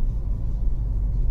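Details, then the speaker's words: Mercedes C250 W204 four-cylinder after engine mount replacement, driving off from a stop light. Only a soft, even low rumble in the cabin, with none of the earlier per-revolution drone that had sounded like the high-pressure fuel pump. Normal, quiet running. "and quiet nothing like it was before another good example from coming from a stop light load it's nice and quiet"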